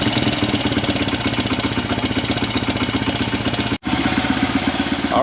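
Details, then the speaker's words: Honda 100 pit bike after fitting a discount Amazon carburetor: fast, steady single-cylinder putter well above a relaxed tickover, then briefly drops out; idle set too high, to be adjusted down. "one last thing it idle pretty high so we're going to go ahead and adjust the idle down"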